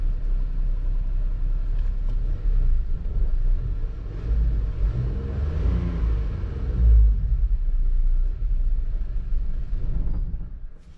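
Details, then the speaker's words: Suzuki Splash 1.0 after fuel pump replacement, once air clears from the fuel system: low, steady idle rumble with no misses or knocks, settling into an even, smooth run. "because there is a air in the system the engine can shake a little but after a few seconds everything is looking okay"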